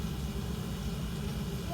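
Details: Oil-fired boiler burner after a nozzle change: steady, even low roar with no pulsing or rumble; quieter than before, firing smoothly and running normally.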